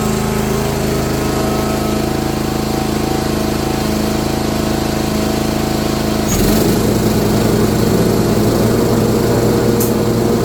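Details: Old Simplicity mower with a 17 hp Briggs & Stratton overhead-valve engine, sat for years, after repair and valve-cover reseal: steady idle stepping up in speed with a clean even beat and no knocking; healthy.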